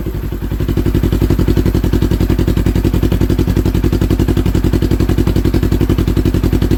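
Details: 2015 Polaris RZR 900 S idling on a newly fitted RZR 900XP exhaust that replaced a holed muffler; loud, deep, steady exhaust thumping with no misfires or rattles, a clean healthy idle.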